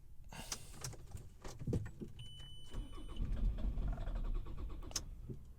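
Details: 2003 Ford Galaxy 1.9 TDI diesel, engine code AUY, cranking: faint, uneven starter churning with no firing at all. RPM signal is seen, but the immobilizer keeps the engine control module disabled; signs that ether had been used.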